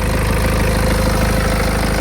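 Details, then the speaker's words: 2014 BMW 320 with 240,000 km, started instantly with no warning lights lit: steady, even, quiet low idle with regular beat, no knocks, misses or whine; normal healthy idle. "заводиться з півтичка ніякі лампочки не потрібні не горять Мотор працює рівно тихенько працює"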